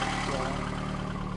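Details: VAZ 2110-2112 family petrol engine on first start after reassembly, idling with a steady, even low hum and no rustling or whining from the pump.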